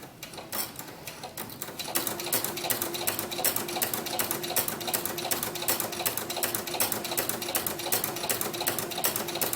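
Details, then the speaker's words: Sewing machine with Inspire ruffler foot on setting 1 (ruffle every stitch), 3.5 mm stitch, dial fully right, gathering organza: even, rapid ticking about two to three a second with no skipped beats; normal operation. "all I'm doing with my fingers is holding the organza so it flows evenly through the machine sometimes it happens that it catches a little bit but if it does just give it a little tug back here and I'll come through"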